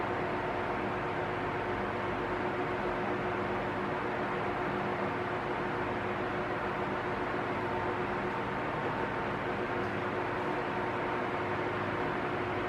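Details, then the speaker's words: Arno Silence Force 40 cm fan with almost two years of use, on its lowest speed: a steady, even, airy hum with a faint constant tremor, no rising or falling in pitch; normal running. "É, ele pode vir a fazer algum barulhinho de trepidação aí, que não é um ventilador perfeito, todos fazem barulho de trepidação ao longo do tempo."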